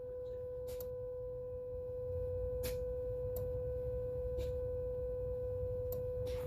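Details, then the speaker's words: 2004 Chrysler Sebring 2.7 V6, engine off, key on, scope on injector one: sharp uneven clicks about once a second over electronic hum as the injector switches on and off normally; car had misfire, P0202, earlier bad engine computer injector driver. "i'm going to turn it on and you can hear the injector turn on and off if you listen closely"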